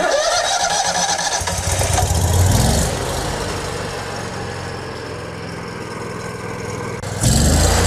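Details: Miller welder Kohler EFI engine after work on faulty fuel pump that flooded the throttle body and letting it fill with gas: starter cranks briefly, engine catches and settles into a steady, even idle with no misfire or stumble.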